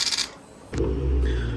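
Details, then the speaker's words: Yamaha R1 being rebuilt after a crash, first start attempt: one sharp starter relay click then faint electrical hum, no cranking; bike didn't start, weak battery. "All right, I'm not even going to lie, that was depressing. So, bike didn't even start, so we're just going to put this on pause."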